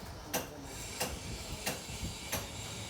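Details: Ford Aspire steering rack (box), before repair: sharp knock about every two-thirds of a second as the rack is worked. Worn rack teeth knocking at the ball joint end.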